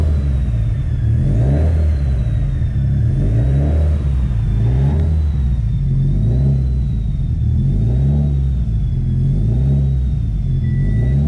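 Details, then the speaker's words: 2007 Subaru STI Limited, about 650 whp, warming up after leak-down and compression tests. Rhythmic rev blips over a deep exhaust, with a loud turbo whistle rising and falling with each rev. Turbo spooling normally. "not sure if you guys can hear the turbo right now but it is insanely loud in here"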